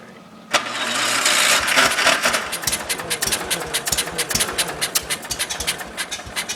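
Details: John Deere 140 lawn tractor, cold start: the starter churns in uneven beats of about four a second and the engine never catches cleanly; a long, hard start, cause unknown, with fuel delivery doubted.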